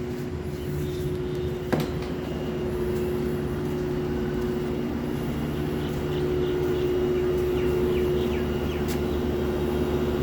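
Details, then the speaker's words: Lloyd inverter AC outdoor unit, under warranty, with a loud train-horn-like hum since installation in April 2023 that was not fixed after two service visits: a constant, steady mid-pitched drone, abnormally loud and heard throughout the house. "you can listen to the hum, loud humming, it's from my AC unit."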